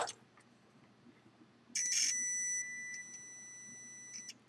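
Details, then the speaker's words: Multimeter continuity test on the ground wire of a FolgerTech FT-i3 Mega 3D printer build: a clean, steady high beep for about a second shows good continuity, so the ground connection checks out. "middle is happy so that guy checks out"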